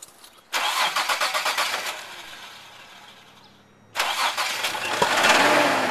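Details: 2000 Isuzu Trooper 3.5 L V6, about 140,000 miles, cranks, stumbles and dies, then restarts with a loud, harsh, uneven knock at idle, louder on one side; oil leak at upper front started with the knock; oil was half a quart overfilled; no warning lights.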